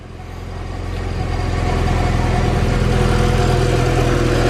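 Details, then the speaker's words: Honda EF hatch with swapped B17A1 petrol engine on stock exhaust, idling with no ticks but a low chuffing exhaust leak near the header, owner thinks not the weld. "no weird ticks it does have an exhaust leak right there i can hear it right there i don't think it's my weld job"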